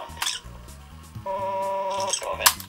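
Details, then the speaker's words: Genexxa CTR 96 cassette dictaphone during rewind/fast-forward tape search: a steady, clear multi-pitched tone of about one second, the recorded cue marker playing back so you know when to stop; working as designed. "do you hear that tone that's basically the part where you press this you can hear it when it's rewind you know rewinding forwarding"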